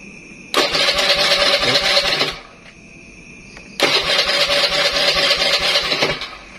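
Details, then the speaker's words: Honda Beat carburetted scooter with the safety switch turned on, grounding the pulser wire: two short bursts of fast starter whirring with no catch or firing. Cranks but won't start because the spark is cut. "Coba kita apa hidupkan saklar yang ini nih kita tekan ke posisi on Nah itu bisa dilihat motor langsung mati"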